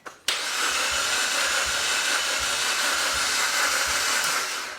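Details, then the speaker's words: Cheap used engine from eBay just installed in a 4x4, first attempt to start. The starter whirs fast and even with only soft pulses and the engine never fires. No compression is suspected; coil connection is being checked. "it just sounds like sugar for me sounds like an engine turning over that's not actually making any compression"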